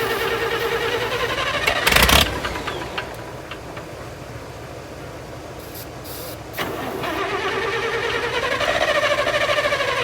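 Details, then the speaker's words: International 656 gas tractor, sitting a long time, cranked on a jump pack that drops to 9 volts: ragged cranking with a few sputtering catches that never settle into an idle; the carburetor float was stuck. "The carburetor real quick, and the flow was stuck. Now it's stuck in the opposite position."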